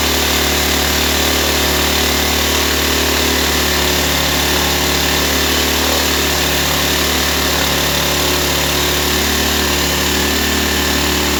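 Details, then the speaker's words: Nearly new Ryobi 1200 (1.2 kVA) generator, 3 hours' use, idle 3 years, previously ran only on full choke; after carburetor service, air cleaner off, started on choke: runs loud and steady with an even buzz, no misses or surging; normal running. "Okay guys, this was a success story."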